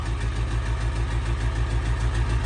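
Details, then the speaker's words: Diesel after winter storage at 11°F, primed after 15-20 minute wait. Low heavy idle, slightly uneven lumpy beat; owner suspects air in lines and bad fuel, no leaks seen, fresh fuel planned. "Still not sounding too great, but it might have a lot of air in the lines and bad fuel still, so whew."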